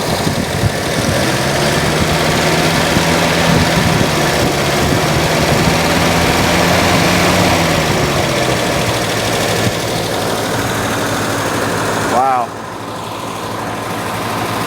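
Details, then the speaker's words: 1949 Ford flathead, abandoned in desert since 1977 and freed from being locked up, possibly with thermostats; steady, even low idle rumble, smooth and unbroken with no knocks or misses; runs very well. "wow listen to that [Music] thing listen to how good it runs that's that's amazing"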